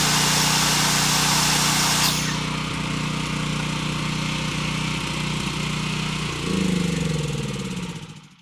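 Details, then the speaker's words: Caterpillar generator that sat with bad gas, with a rusted tank and gelled carburetor, after carburetor cleaning and air filter refit: a loud, steady, even drone without surging, then a brief rise before shutdown. Normal running. "All right, sounds like it's running good."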